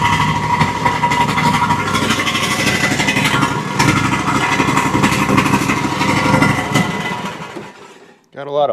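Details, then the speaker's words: Exmark Quest zero-turn, Briggs Intek V-twin, after valve-guide repair for bogging and loss of power under load: strong steady beat with loud raspy muffler and smoke from one side, plenty of power, no misses, then shuts down. "Smoking real good from that one side, but you can tell it's got plenty of power."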